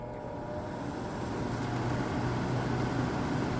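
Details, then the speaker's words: Whirlpool ACM052XH1 5000 BTU window air conditioner, fan-only mode; uneven low hum with rough wavering rumble about four times a second, fan motor sounds unhealthy, cause not confirmed, noisy fan motor. "And yeah, that fan motor does not sound all that healthy."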